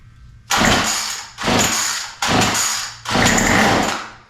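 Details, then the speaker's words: Murray M2510 two-stroke straight-shaft line trimmer, flooded, full throttle, choke open, starter spray in carburetor: four short bursts of rough firing that die out each pull; ignition and compression good, fuel system fault, carburetor overhaul and new fuel lines planned. "I'm going Full Throttle on this because it's kind of flooded after we do that so we heard a little bit of a start there that's probably enough but we'll shoot it one more"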